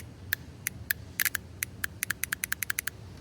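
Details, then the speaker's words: Lexus SC400 automatic transmission solenoid bench-tested by connecting it to the battery positive terminal: crisp, sharp clicks in quick bursts each time power touches it; this solenoid works, unlike a weaker-clicking second one. "Yep. So, you can hear that one clicking. So, this one does work."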